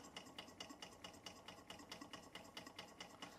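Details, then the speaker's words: Bing 10/110 poppet valve toy steam engine on original spirit burners, now at 1 bar, maintenance run after months idle: crisp, even chuffing about 136 beats a minute with light metallic tick, no stumbles or leak hiss; healthy, no leaks, running like a Swiss watch. "Anyway, it's a little maintenance run of this one, but everything going how it should do. Very nice machine, no leaks. Original burners going in now. Engine running like a Swiss watch."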